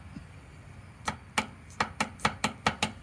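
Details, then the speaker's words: Talon X 8-inch portal L&W arm spherical joints, sloppy; sharp metallic clacks about two per second in uneven bursts as the arm is rocked, from worn, loose joints. "it's just crap so you know you can kind of fix it by adding a shim but that still didn't take out 100 of the slop as you can hear so yeah really disappointing this product"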